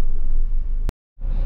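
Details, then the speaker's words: 2017 Toyota Hilux Workmate after clutch replacement, stationary in gear with the clutch released: low steady rumble with no clutch chatter, grinding or whine, the clutch feeling very light; normal running in gear. "you can see when I release the clutch the guy yeah see that meat is indicating the gear okay so that's good you can hear"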